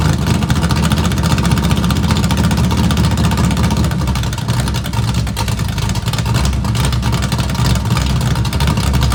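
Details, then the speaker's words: Small-block V8 Camaro with straight open headers and fresh spark plugs, cold start after sitting three weeks: loud, deep, loping idle from the choppy cam, otherwise running steady. "but that's cool because we get to hear it straight open header with this choppy Cam that has literally been sitting for three weeks"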